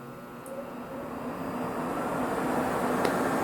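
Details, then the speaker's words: 1970s Centurion minicomputer Hawk 10MB hard drive after breakers switched on, before platters start: cooling fan spins up to a steady even whoosh with no rubbing or ticking, normal purge running. "All right, we can hear that the fan has kicked on. This is the cooling fan, and it will just sit there and purge."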